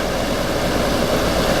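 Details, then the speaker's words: Goldstar 12,000 BTU window air conditioner (about 2004–2005) after fan motor replacement for bad bearings; owner worried the new motor's fit would cause rubbing, but it doesn't. Even air rush over a low steady hum, no scraping; normal running. "I was worried it was more a rub because of motors free room but it's not here apparently yeah everything seems to be fine hope it lasts"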